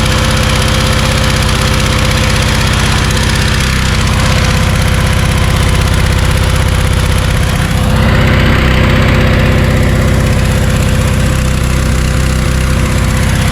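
Steady, even engine drone with a smooth regular beat and no knocks or misses; the washer is running as it should.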